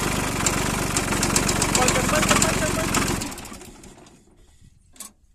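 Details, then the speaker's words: Solis tractor diesel engine running with a heavy, regular knock about four times a second until shutdown: connecting rod bearing broken. "बन तो गयो connecting road है। बेरिंग टूट गयो।"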